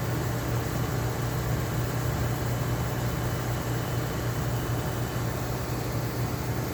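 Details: Restored Oasis dehumidifier, likely Tecumseh reciprocating compressor, tape rubbing the fan now fixed: steady low compressor hum under an even fan rush with no rubbing, rattle or knock; runs smoothly.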